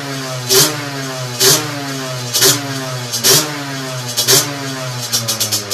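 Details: Two-stroke on a dyno bench with a 17.5 mm carburettor, after setting the main jet, air mixture screw and needle: crisp blips about once a second rise sharply, no hesitation or stumble, and drop straight back to a steady idle. Healthy, well-tuned carburetion.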